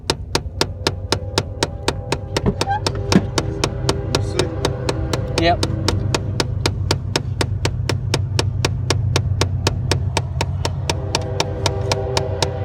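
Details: Chevy Cavalier clicking noise coming from a box: sharp, evenly spaced ticks about four a second over a low steady hum. Cause not yet pinned down.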